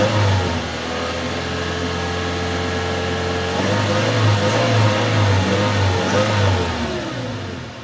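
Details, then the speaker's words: 2013 Toyota Tacoma after oil change and new filter, warning lights clear; throttle response check, pitch rising and falling smoothly with no misses or knocks, same as before: normal revving. "just the same as it was before absolutely no problems looks good for me"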